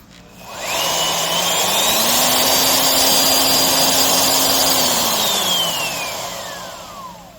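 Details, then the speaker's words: Skil RT1322-00 1/2" 1680 W router after replacing loose silicone tension washer with proper bearing wave washer: spins up to steady high whine, no vibration or rattle; running smooth and tight. "but now a nice smooth acceleration, no vibration. Once again, it's just absolutely tight."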